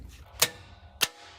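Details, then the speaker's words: LMTV truck fuel shutoff solenoid fed 24 V directly by a jumper wire because it didn't energize with the ignition: two sharp clicks as it pulls in. The engine then starts but runs poorly. Normal fuel shutoff solenoid operation. "so there you can hear that solenoid clicking so if I leave that on that should turn on the fuel to the engine"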